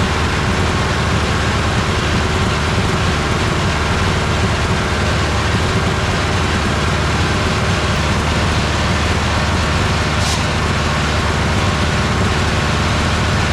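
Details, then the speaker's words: Old tractor idling with a deep, steady rumble, even beat, no misses, after it was adjusted until it sounded nice; before this, any power made it die and stall, and the bad battery terminal and coil were being addressed. "so now that it's sounded nice idle it I'm going to mess around with the car and see if I can get it to get the high idle that was the problem"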